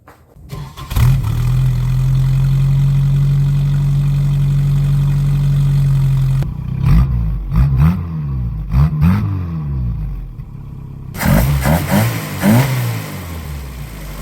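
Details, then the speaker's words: 1990 Isuzu Trooper, 2.6 four-cylinder, 5-speed 4WD, after an engine reseal and EFI-to-carburetor swap: catches within a second, holds a smooth even idle, then takes several quick clean revs. Normal healthy running, later driven in snow. "Well, boys and girls, she is running remarkable. Four-wheel drive works, just a beast in the snow."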